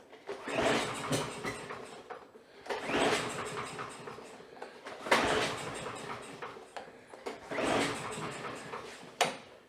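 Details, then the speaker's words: Abandoned Troy-Bilt mower with a lot of oil in the cylinder, before the carburetor is pulled: repeated pull-start bursts about every two and a half seconds, each catching briefly on priming fluid then dying, a carburetor problem. "Well, we definitely have a carb problem. She's starting on the fluid and just shutting off."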